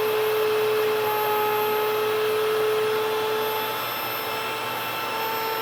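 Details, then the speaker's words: Nutrimill grain mill grinding wheat. A steady motor whine over a grinding hiss rises in pitch as the last grain clears, and the mill runs empty. Normal; it is left 5–10 seconds to self-clean. "now towards the end when you're grinding your wheat you're going to hear it take on a different pitch when all the grain has gone through"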